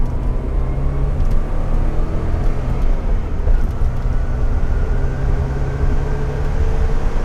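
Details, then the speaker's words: 1987 Porsche 924S idling after a no-start following a clutch install, fixed by bypassing a broken wire from the DME relay to the injectors with a jumper: steady, even low rumble, no knocks or misses; runs smoothly. "now I have power on both sides of the injectors on Keyon and this thing fired right up so wild ride indeed"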